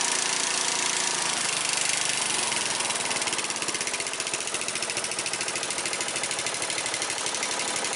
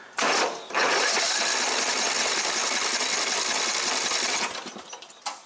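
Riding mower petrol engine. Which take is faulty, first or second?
second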